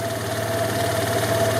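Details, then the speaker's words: 2003 Vespa ET4/LX150 150cc scooter just after carburettor cleaning and reinstall, cold: idles smoothly and steadily at a raised cold high idle, no misses or knocks; idle drops when warm. "at the high Isle because it's cold once the idle drops down that's the warm idle and so you might need to adjust it"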